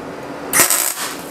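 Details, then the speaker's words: MIG tack weld on 1939 Hudson Terraplane rat rod cab, shielding gas left off: short harsh spitting crackle popping erratically instead of steady sizzle; welding without gas. "fantastic do you hear that noise I didn't open the gas well done Duffy"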